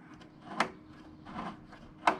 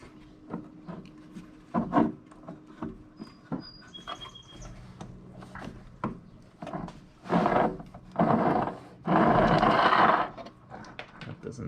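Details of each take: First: if you twist it this way you hear that clicking should be fine because that's pushing the mower forward under power Second: Honda mower whose wheels lock up when pushed: dry, gritty scraping and rubbing in uneven bursts as the drive axle is pushed through by hand.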